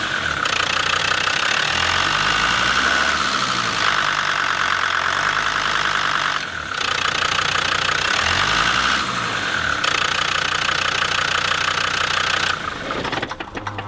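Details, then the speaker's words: Land Rover Defender TD5 diesel after replacing two idler pulleys, belt and tensioner: steady even idle clatter, belt twittering noise gone; normal idle after repair. "Now I have changed two pulleys and the belt with two small bearings and the noise is gone as it has stopped twittering"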